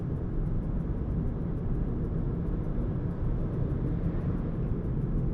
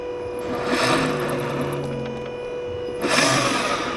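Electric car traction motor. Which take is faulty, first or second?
second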